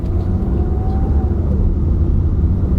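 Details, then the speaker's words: Toyota Camry with almost half a million miles, driving: steady low road rumble as the engine note drops through an automatic upshift, heard but not felt, with no clunk or flare; normal, smooth shift. "you can't feel it shift you can hear it shift the noise as the RPMs go down but you can't even feel it shift"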